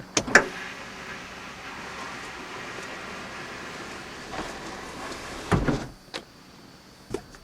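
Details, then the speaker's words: 1991 Mercedes-Benz 420 SEL (W126) moonroof closing: click, soft even motor hum, firm thunk at end, no grinding or straining; sunroof operating normally, no leaks. "the switch back, and the moonroof opens up. You can adjust this in any position you want."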